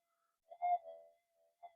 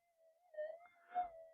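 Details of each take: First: Minelab GPX 5000 metal detector indoors on the cancel coil, after component upgrades to cut noise: at gain 7 short warbling chirps break over the quiet threshold because the gain is too high. Gain is then reset to 6. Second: Minelab GPX 5000 metal detector after component upgrades to reduce noise, at gain 20 with cancel coil in mono mode; soft steady hum with slight swells; normal quiet threshold.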